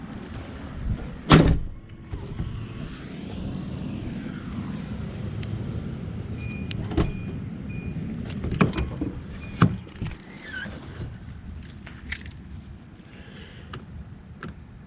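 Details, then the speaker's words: 2012 Nissan Armada power liftgate that won't power open or close, pressing close: a faint actuator motor hum with clicks and clunks from the tailgate. The actuator runs but the gate doesn't close. "So if I hit the button here to close it, I can actually hear the actuator. It sounds like running."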